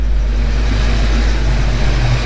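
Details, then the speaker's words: Ford Mustang Foxbody V8 after a cam swap, ticking fixed, next day: steady, deep idle with an even low rumble and no ticking on top; good oil pressure and temperature; healthy. "It sounds pretty good, sounds healthy. Took a little bit of work this morning getting it to idle just right, but everything looks good."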